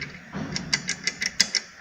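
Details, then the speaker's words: Suzuki Burgman AN 125 kick-start pedal repair, after freeing the stuck ratchet: crisp, even ticking of about six clicks a second as the pedal ratchet freewheels smoothly to the left over its teeth, with no catching or binding; normal. "Então como que funciona essa catraca aqui do pedal? Ela tem que girar aqui, ó, para a esquerda, livre, correndo esses dentes,"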